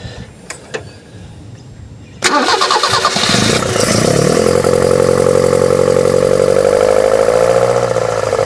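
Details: 1974 BMW 520 with carburettors, points and manual gearbox, started by powering the starter solenoid directly with a wire: the starter cranks briefly and the engine catches, settling into a steady, even run; healthy start.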